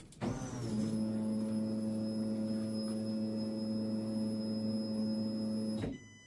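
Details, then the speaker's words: Ford Falcon XB Hardtop, ignition on to test the fuel system: a steady mid-pitched electric whine for about five seconds, then a clean stop. Normal fuel pump prime, set to about 40–42 PSI; a small leak was later found at a loose bottom fitting. "primed up."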